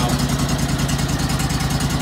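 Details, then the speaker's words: John Deere LX277 lawn tractor (214 hours) cold-started in January after sitting three months, choke gradually released. Slow, even chuffing idle with no knocks; the alternator light is on from the slow idle and the battery is near end of life. "Well, it sounds like my battery is just about at the end of its lifespan. Certainly well past what you'd expect. You're seeing an alternator light because it's idling so slow right"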